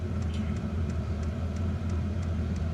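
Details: Diesel heater installed in a house, intake and exhaust through a window, warming up after flooding earlier and smoking: steady low rumble with faint, even pump tick about three times a second; running smoothly.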